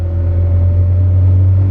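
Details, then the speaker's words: Honda Civic EG coupe with B18C1 GSR engine on a dyno, pulling away off the clutch at light-throttle cruise while tuning fuel (slightly lean): steady even low rumble, no misfire or stumble; engine runs normally. "Pretty good. And it is normal when you push the clutch in."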